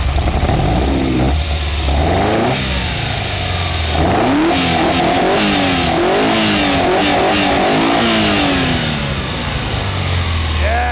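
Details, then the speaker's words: 1978 Ferrari 308 GTB with its previously bad-running engine now sorted, carburetors not yet synced and a replacement ignition fitted where the distributors were, idles cleanly and revs smoothly and evenly without misses: normal running. "it sounds like a ferrari now guys sounds very very good"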